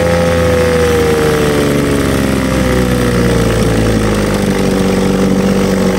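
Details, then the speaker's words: 1950 Johnson HD 25 2.5 hp two-stroke outboard after carburetor adjustment, pumping water well: loud, steady drone at even pitch with no stumbling or misfires; runs well, though points still to be cleaned for low idle. "I think that's going to conclude today's video. This thing runs pretty good."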